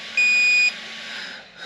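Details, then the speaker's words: Brushless combo (Robitronic Razer) ESC being installed in an Absima AMT 3.4 RC car: single clear high-pitched half-second beep as the ESC confirms LiPo mode low-voltage cutoff set to level 5, 3.2 V. "ja laitetaan se itseasiassa vielä vitoseen se LiPo cutoff niin se on 3.2 volti Mikä on aika sopiva näille"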